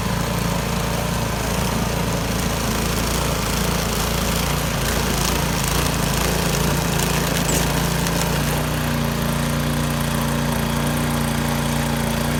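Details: Yard Machines 22-inch snow blower after carburetor cleaning (gas left in it at least two years), choke off at full throttle on test run: loud, steady, even beat with no misses or surging; normal running.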